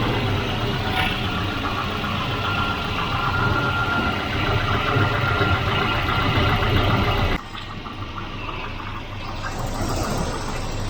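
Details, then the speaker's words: Volvo 244 redblock, previously a no-crank after sitting parked. After ground/earth and wiring checks it gives a low, steady idle rumble with an even beat and no misses. Idle stated as about 150 rpm; running smoothly. "uh it must have been idling there about 150 rpm"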